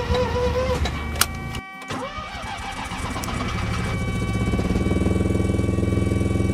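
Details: First-generation Mazda RX-7 after ECU swap and de-flooding, final attempt: starter chugs about three and a half beats per second, speeding up, but engine never fires; fuel pump runs, battery low, owner suspects fuel pump/filter, cause unconfirmed.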